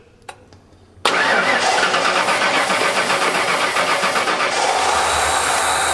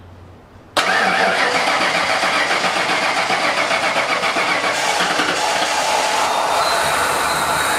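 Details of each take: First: 1989 Ford F-150 EFI with dual tanks, running on the rear tank after long cranking: the engine catches and runs ragged and uneven; owner suspects the fuel selector valve, otherwise a worn main fuel pump. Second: 1989 Ford F-150 EFI with dual tanks, fired up after the tanks were serviced and something loose was fixed: starter cranks briefly, engine catches cleanly and settles into a steady, even idle with no misses or knocks; normal start.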